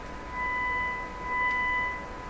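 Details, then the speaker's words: Stromberg Carlson Model 515 radio playing an injected test tone; at full volume harmonics come in and the tone turns harsh and buzzy; suspected audio-section fault, not confirmed. "Now, you can certainly hear when I turn the volume all the way up, you can hear harmonics come in, where the sound becomes sharper, more irritating. So there's something going on with that. That's liable to be just problems in the audio section."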